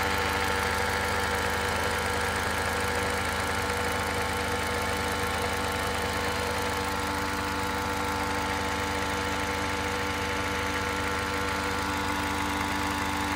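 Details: Toyota Crown Athlete (210 series), 8AR-FTS engine: steady idle with an even, motor-like buzzing hum from the left side of the engine viewed from the front, lingering about one second after shutdown; source unidentified.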